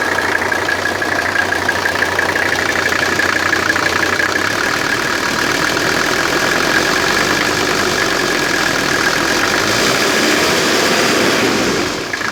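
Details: 1984 Mercedes 300SD 3.0 five-cylinder diesel idling: rough, uneven clatter about three times a second over the engine; source of the noise unknown.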